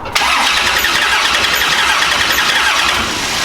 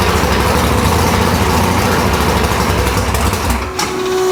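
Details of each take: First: Big-block nitrous Chevy Nova V8, engine in car, before teardown: starter cranks with loud, uneven whir and no clean firing rhythm; runs once started but sounds weird from passenger side; burnt piston later found, causing low compression. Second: Nitrous Nova big-block V8 after replacing two pistons (one was found burnt), reinstalled: loud, lumpy rumble with a brief dip as it catches, then a steady throaty idle with no knocks; healthy start.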